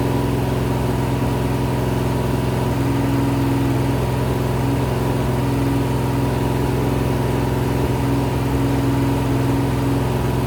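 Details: Rebuilt 426 Gen 2 Hemi crate V8 (new heads, intake, pistons) on run stand, flat-tappet cam break-in, ~15 min in, ~210°F: steady even fast idle, smooth unbroken drone, no knocks or ticks; healthy break-in.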